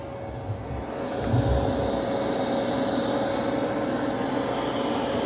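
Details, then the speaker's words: Dreame X60 Max Ultra robot vacuum in vacuum-only mode (mop pads detached), Max Boost suction with chassis lift on carpet during a debris test: steady, loud whoosh with an even mid-pitch fan tone, a little noisy, no rattles or surges; normal running. "Now it is a little noisy. It's on max boost suction."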